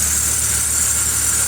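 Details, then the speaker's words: Truck at idle with belt refitted: constant thin high-pitched whir over the engine, squealing all over rather than one side; alternator bearing noise, after a pulley hitting the block was fixed. "seems like it's squealing all over it's not just one side the alternator definitely has some some Baron noise"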